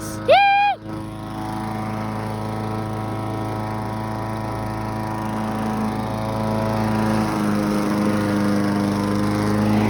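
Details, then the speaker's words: Briggs & Stratton push mower after a low-rpm fix (part zip-tied down from frame to head, wheels adjusted, new governor spring): starts first pull, then a steady drone that holds pitch while cutting grass. The engine governs properly and runs healthy under load. "Here, runs a lot better now. Got starting to first pull. Guaranteed."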